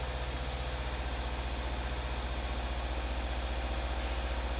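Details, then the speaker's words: 2020 Subaru WRX turbo petrol idling with a steady, rhythmic stumble of about three beats a second, a pretty constant single-cylinder misfire; started after an owner DIY tune-up (plugs, air filter, oil, injector cleaner); lean condition fixed, check-engine light blinking. "Okay, so it's still definitely has a misfire. Pretty constant misfire."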